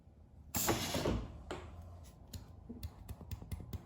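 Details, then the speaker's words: 1968–72 Corvette C3 wiper door and pop-up headlight vacuum system after kit install, held 5 minutes; a short rush of air, then creaks and clicks as the wiper door moves on stored vacuum, so no leak. "So it should hold pressure for at least 5 minutes. That would be considered not having a vacuum leak of any kind."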